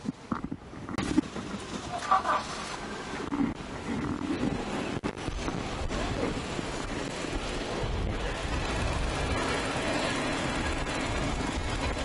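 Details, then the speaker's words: 2003 Toyota Kijang Kapsul used car, engine oil checked normal with no coolant mixing: smooth, even low-rpm idle with steady low rumble, no knocks, ticks or misses; engine sounds normal with no problems. "Nah, ini suara mesin Kijang. Suaranya normal, aman, tidak ada masalah, tidak ada kendala juga."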